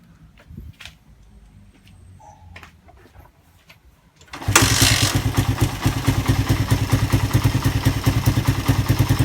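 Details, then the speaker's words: Suzuki Satria FU after repair of compression loss blamed on badly leaking valve oil seals, new piston fitted: quiet, then fires and settles into an even, steady idle, no knocks or rattles; slight smoke. Normal idle. "piston baru ya Tapi udah Kak berasap Kalau juga dia berasap halus banget suaranya ya"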